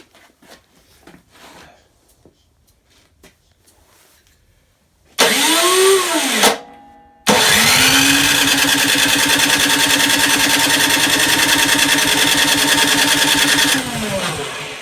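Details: YardWorks 22-inch 179cc snow thrower after carb float bowl work, primed and electric start: starter whirs in short bursts, then long steady crank with no firing; won't start, traced to a leaking carburetor gasket.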